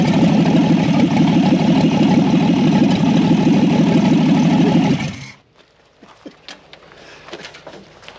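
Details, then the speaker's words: 1964 Ford Falcon inline six with 3-speed column shift, first start after sitting since about 1984: old six fires up and holds a steady, even beat for about five seconds before shutoff; normal idle. "That sounds pretty good. I don't know who built that carburetor."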